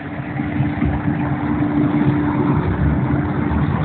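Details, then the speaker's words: Liebert glycol system pump with a steady hum and rough gravelly churning hiss, amps jumping 4.5–5.5 A and pipes vibrating; cavitation, suspected from a small leak letting vacuum pull in air, with a low fluid level. "maybe we have a small leak that vacuum is pulling in some air that's causing our-our cavitation of the pumps"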